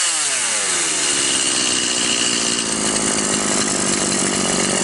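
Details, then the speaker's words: Stihl MS 180/170 chainsaw after carburetor needle adjustment fixed lack of power and high idle: a high, steady, even scream while cutting wood with no surging or bogging; running normally. "вот и все как мы видим пила работает нормально"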